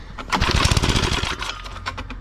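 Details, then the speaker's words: Cheap secondhand small tiller (motoculteur) being pull-started: a quick burst of uneven pops for about a second that dies without catching; owner plans to clean the spark plug and check fuel delivery, something still missing. "je vais je vais essayer de faire un nettoyage de la bougie je vais essayer de voir si l'essence arrive bien parce que là tu as vu ça commence à péter donc je pense qu'on tient le bon bout mais il manque encore quelque chose"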